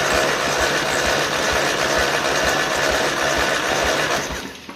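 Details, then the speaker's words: 1955 Ferguson TE20 TED TVO tractor engine, cranked by the starter for a compression test. Even rhythmic cranking about four pulses a second. This cylinder reads from about 80-83 up to 90, slightly low; rings are suspected to need lubrication and use. "Okay. So, it's come up from 80 to 90. It's 83 and four to 90. So, uh yeah, I have a feeling to be honest with you, a bit of use It'll come up like just needs a little bit of lubrication."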